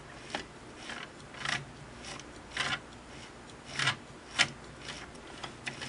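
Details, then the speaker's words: Singer model 466 sewing machine after top vertical-shaft gear replacement, shaft turned slowly by hand with no motor: irregular dry scraping rasps about two a second, the shaft is dry; turns freely and smoothly, gear mesh seems right, no skipped teeth. "but now I also want to go ahead and turn this boy that shaft is dry isn't it"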